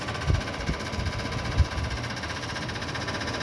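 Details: Voltas window AC: steady hum broken by irregular dull knocks as the fan blade strikes the outer body, which rusted and swelled upward over time; fixed by hammering the body back.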